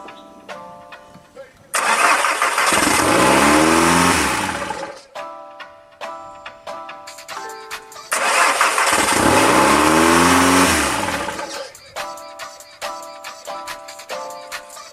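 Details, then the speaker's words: Car started for the first time after a build: the engine catches, flares to a very high rev, sags and dies, twice over. Traced to the engine computer fitted, an incompatible ECU causing a surging high idle. "alright so I have no idea why it is revving up so high and I can't keep it on because it's doing that but it does start so that's a good start I guess"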